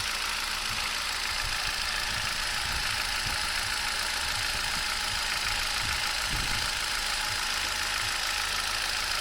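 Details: 2011 Turkish-built Hyundai i20, Kappa 1.2 L petrol, 45,000 km: busy idle with fast, uneven ticking over heavy hiss; abnormal engine noise of unclear source.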